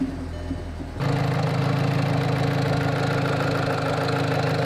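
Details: Volkswagen GTI GDI engine with over 100,000 miles, started after carbon cleaning and a refill with 4.9 quarts of 5W-30: catches and settles into an even idle with a light regular tick. Less mechanical noise than before the cleaning.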